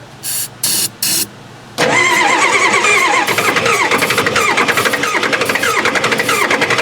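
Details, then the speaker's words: Four-door Bronco that sat about six years, with old fuel and a melting starter wire. The starter spins the engine at a steady four beats per second and it never catches. Crank no-start with no fuel getting in; an injector was found disconnected, with the fuel line off it. "that's a starter wire yeah it cranks um doesn't sound like it's getting fuel right"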